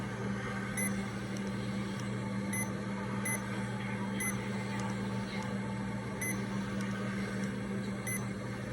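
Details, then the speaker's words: Remodulin infusion pump, reserve volume 100, air detector off, priming its line until fully primed: low steady motor hum with short high beeps every couple of seconds, normal priming. "it's all primed up and ready to go"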